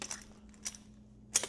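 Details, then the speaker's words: Unlubricated Mercedes (1973–1989) steering lock, 15–20 years old with factory lube film gone, bench test: two or three sharp dry metallic snaps as the key springs back, the sound that wears out steering locks. "because that right there, folks, is what wears out the steering locks."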